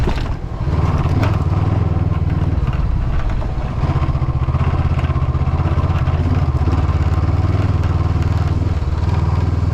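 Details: Vehicle driving on a road in Norway, steady engine drone with a loose, uneven clatter from the windshield, shaking because a mounting screw was lost.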